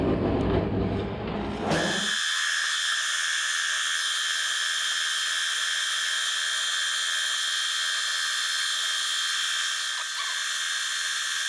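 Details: Fly cutting the top of a Ronaldson & Tippett engine's cast cylinder head at slow feed, about an inch a minute: brief start-up rush, then steady high cutting whine at even pitch, no chatter or squeal; normal smooth cut.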